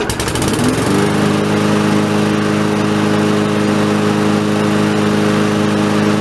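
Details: Briggs & Stratton 4.5 hp Yard Machine lawnmower after cleaning the carburetor and the tank area under it, which had made it surge and nearly die: short rev-down then smooth, even idle with steady drone and no hunting.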